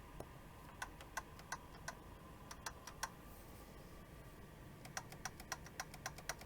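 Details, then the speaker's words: Yamaha 62 purple label after fixing a pushed-in post: light, sharp clicks, two or three a second, as a key, at the wrong angle, strikes the post head; key clicking against post. "after all that work that we did there's one last issue we have to deal with and this key actually hits this post head on the top"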